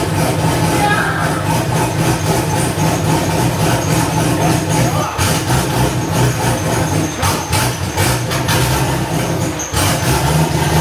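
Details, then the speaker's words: First start of a newly LS-swapped, cammed wide-body C4 Corvette (turbo build, stainless exhaust, no cat): deep, loping, steady V8 idle with a rhythmic cam chop. Oil pressure is present and the air-fuel ratio is about 13.5; it runs properly. "Oh yeah, everything's fucking running fine. Air fuel ratio is up 13 and a half."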